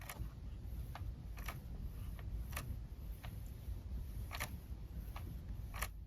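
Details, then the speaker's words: 2011–2019 Ford Explorer / Police Interceptor Utility clock spring, airbag and steering wheel removed, spun by hand; sharp irregular clicks about two a second from broken wires inside the clock spring. "that little clicking sound if you can hear that those are those are broken wires"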